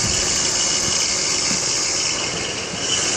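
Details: BMW X3 E83 engine idling under a loud, hissy high whir with a faint irregular chirp about four times a second; owner suspects tensioner pulley or water pump bearings.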